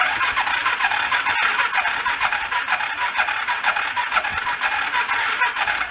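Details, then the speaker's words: Homemade rat rod ATV engine cranking during compression test, reading about 55–60: even cranking at about two beats a second with soft, uneven puffs and no firing; low compression. "a little better we're not great it's above 50 it's like 55 60 right around there"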